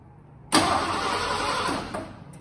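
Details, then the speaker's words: 1986 Ford F-150 Lariat, 302 V8 fuel-injected, about 70,000 original miles, sat 15 years; fresh fuel with Sea Foam. Starter spins about 1.5 seconds and winds down without catching; no fuel getting past the failed high-pressure fuel pump, new pump about to be fitted. "we figured out we weren't getting fuel past our high pressure pump so we finally got a new one of those and we're about to put it on right now"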